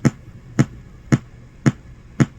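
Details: GT FORE board with constant audio pop and resetting, after the oscillator, Creative chip, Crystal audio codec and op amp were replaced. Still dull pops about twice a second and no audio. A faulty capacitor is dragging down the supply voltage.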